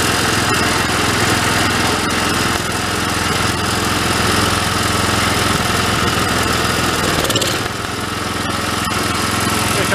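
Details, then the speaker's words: Old Homelite unit (generator or pressure washer) stored about 20 years with Marvel Mystery Oil in tank and carburetor, no fuel filter, throttle mid; small single chugging on choke with uneven, wavering beat, running rough, owner suspects air-fuel mixture needs about half a turn. "we can jump that air fuel mix a little i want to run it into i want to run it until it doesn't run a rough"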